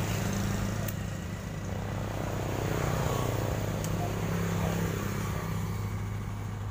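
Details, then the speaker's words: 2018 Honda Vario 150 whose starter only clicked at the relay by the battery, after cleaning the relay with contact cleaner: catches immediately into a steady, even idle without clicking or hesitation; starter working normally. "Langsung aja kita coba bismillah alhamdulillah ya kita starter lagi matikan terdengar Mas Bro statennya alhamdulillah sudah bisa sekali"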